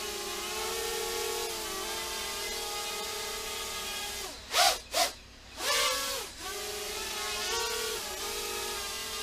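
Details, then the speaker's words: Quadcopter in steady hover with a faint rapid warble in the motor buzz; P gain set slightly too high on pitch and roll, PID oscillation; owner plans to lower it. "it's flying pretty good but I can I can hear a little bit that P is too high for pitch and roll you can just hear it just a little bit in the hover"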